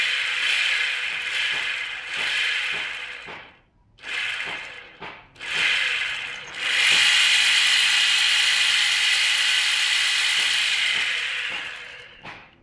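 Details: GNG 48V e-bike motor after riding in rain: harsh high-pitched grinding rasp rising and falling as the motor spins up and down; owner suspects rusted failing bearing, planning heavy-duty replacement.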